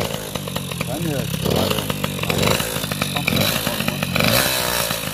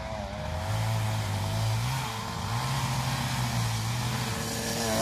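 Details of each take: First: Small two-stroke scooter engine after ignition troubles and top-end rebuild, with piston and head gasket: revving up and down crisp and buzzy with no knocking, running healthy. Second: Small two-stroke scooter running a bit cold after ignition troubles: buzzes and wanders in pitch, revs surging and sagging unevenly; the rear wheel also sometimes rubs the swingarm, affecting the variator; rough running when cold.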